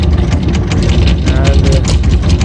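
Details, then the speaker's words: Takeuchi TB260 mini excavator, Yanmar 4TNV diesel, at no load: deep rumble running uneven and hit-and-miss, unable to hold revs. "No load. It's trying, but still hit and miss."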